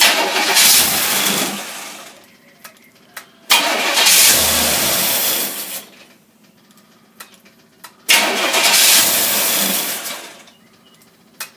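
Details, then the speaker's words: Holley tri-power two-barrel carburetors from a Corvette, tested on a running engine, visibly leaking: three short start-and-rev attempts sag, die back and sputter; rough unstable running, cause unconfirmed, possibly a big air leak. "it got a big air leak in the back or something? I don't really look. No. That thing's got definitely something wrong with that bugger, Nick."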